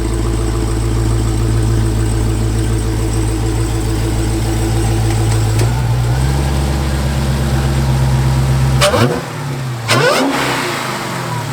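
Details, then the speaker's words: Wrecked Hellcat V8 after replacing a broken coil pack and swapping in a throttle body from another car, not fully warmed: a deep, even burble with clean throttle blips and no misfire, showing normal revving. "I have listened to that all day long that sounds so good"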